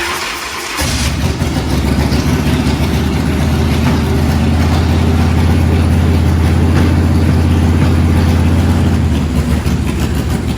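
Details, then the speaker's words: UltraCycles 120 hp chopper after an oil change, started with choke partly on: catches within a second and settles into a steady, lumpy low rumble; normal, healthy cold start. "But you guys got to hear it start up and just understand the kind of incredible, beautiful power that this chopper has."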